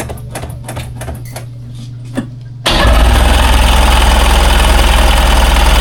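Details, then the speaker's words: 2001 Ski-Doo 3-up jet ski, non-running, on a jump box with choke and fresh gas. Weak slow chugging crank about three beats a second, jump box suspected running out of power, then catches into a loud steady rapid run, slightly rough. "Lost the jump box I got. Yep. This thing's probably running out of juice."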